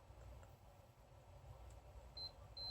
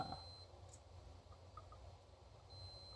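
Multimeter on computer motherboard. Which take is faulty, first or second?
second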